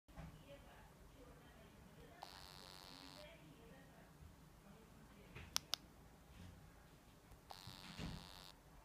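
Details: Meizu MX5 phone: two short buzzy bursts about a second long in a quiet room; abnormal buzzing, cause unknown.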